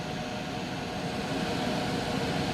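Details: Coway AP-1008CH air purifier on its top fan speed: a steady, even rush of air with a faint hum and no rattle, the fan running healthy.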